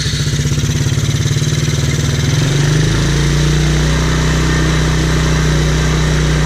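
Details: TaoTao Chinese ATV stored over a year, carburetor clogged by dried fuel, temporary carb fix: small single-cylinder catches and chugs, rpm rising slightly then holding an even warm-up idle without stumbling; normal idle.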